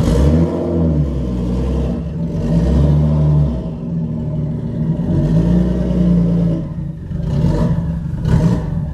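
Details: Newly bought cheap Nissan R33 Skyline GTS-t being driven on the road, gearbox also noted as sounding horrible. Uneven, lumpy engine note with revs surging and dropping instead of pulling smoothly; running rough, cause not yet known.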